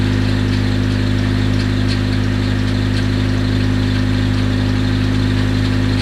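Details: Freshly rebuilt Nissan KA24DET four-cylinder at idle: a fast, even light ticking, about three per second, over a steady idle. The owner suspects lifter tick, but nothing was found loose under the valve cover.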